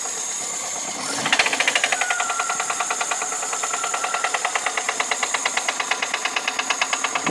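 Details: VAZ 2108 with the engine running: a sharp metallic ticking knock at about three per second; a knock from inside the engine, source unclear.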